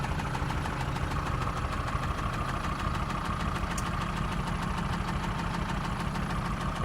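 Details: Mercedes OM662 diesel at idle: steady clatter with a dull knock repeating about every second, heard intermittently; source not pinned down.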